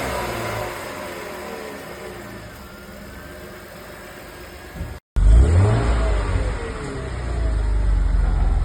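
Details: BMW E34 with M50 engine revived after 15 years outside, running after a broken hose was taped: after a brief quiet spell it picks up strongly, deep note climbing cleanly on the revs and settling evenly; normal running and revving.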